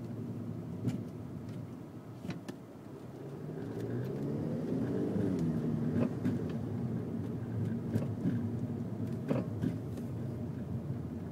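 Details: Car driving over bumps, recorded from inside: road rumble with sharp irregular metallic knocks on each bump; owner wants to avoid replacing the whole bottom half of the car; metallic knock over bumps.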